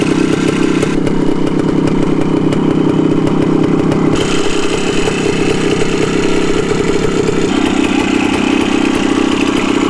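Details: 1974 Honda MT250 Elsinore two-stroke on its first start after a full restoration, running on reserve fuel: a crisp, steady idle with an even popping beat and no knocks or rattles. Normal running.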